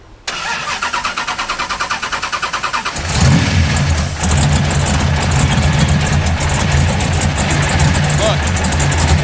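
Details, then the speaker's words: 1969 Pontiac Firebird V8, not run in 17 years, oil drained brownish and milky: cranking, catching on all eight, then a rough heavy lumpy idle with water spraying from the header collector; water entering a cylinder, head gasket suspected. "What we just saw is a whole bunch of water spraying out of the header collector. And what that means is there's a bunch of water getting into a cylinder somewhere. This is bad."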